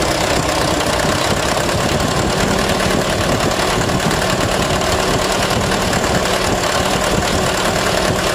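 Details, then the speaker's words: Mitsubishi Canter HDL 136 refrigerated box truck diesel before repair; harsh, clattering idle that wobbles and never settles, with knocking underneath; broken injection pump timer, fragments found in the oil pan. "Suaranya kayak kena ini Ya kemungkinan timer bospnya"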